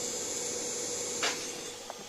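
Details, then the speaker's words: Power supply at light load, about 20 W: thin, steady high-pitched coil whine from the transformer over faint hiss. It goes silent once the load is raised to 30 W. "แล้วเพิ่มพลังอีกนิดดู30วัตต์มันหายไปแล้วเงียบไปทันที"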